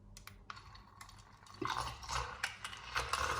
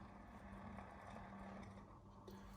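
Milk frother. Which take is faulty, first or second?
first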